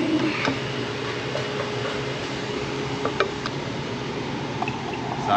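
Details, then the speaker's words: HVAC primary condensate drain line being vacuumed with water poured in: steady vacuum roar with intermittent wet gurgles and slurps, water pulling freely; condensate drain clog cleared. "I can hear it. You can hear it guggling. That's how I know I got it now."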